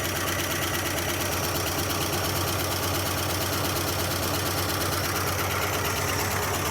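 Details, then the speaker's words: 1976 Dodge D100 Club Cab Adventurer, parked 13 years, first start: loud, fast top-end lifter clatter through idle with zero oil pressure; owner suspects bent pushrod or bad lifters not pumping up. "Did Could you hear that lifter noise? >> Yeah. >> Zero oil pressure."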